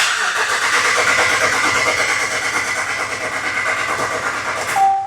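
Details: 2014 Ram 1500 4x4 5.7 V8 after oil pan replacement, cranked with the pedal floored so it won't fire, to build oil pressure first; even starter churn about three beats a second without firing, then stops.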